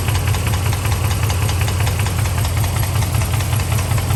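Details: Dodge Ram pickup engine idling with a steady, sharp knocking over its low rumble: engine knock at idle.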